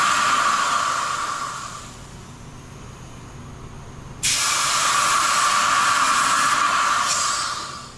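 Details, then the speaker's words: 1984 Bertone X1/9 engine, dead after failing roadside 80 miles into a drive: cooling system pressure-tested with air gives a loud steady hiss that cuts out and bursts back, air escaping through a coolant passage breach in the engine block. "I don't know what happened you the car is not apart had to call for a wrecker"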